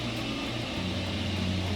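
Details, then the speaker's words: Heating unit making sudden loud, disturbing noise, a steady droning hum with low tones shifting pitch; indicates a defect in the unit, and a heating engineer should be contacted. "mach dir heizgerät plötzlich ganz laute und störende geräusche wie etwa diese hier"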